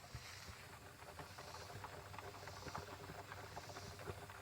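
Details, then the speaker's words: 1990 Honda Accord EX that sat over a year, idling in the driveway: irregular bubbling and gurgling of coolant over a faint engine hum, tied to its overheating problem. "hear it it's gurgling yeah definitely I didn't even get it on the road I just had it running in the driveway so that's definitely a problem I gotta fix"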